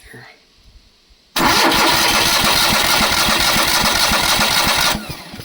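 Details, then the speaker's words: Long-parked trailer-mounted crane engine with rusty fuel system: steady cranking at three or four turns a second that never fires; no fuel getting through the fuel pump, though it runs on gas dribbled into the carb. "Okay, no gas getting through the fuel pump. Well, at a risk of doing a fire, we're going to crank it and see if I can get the fuel pump to pump anything."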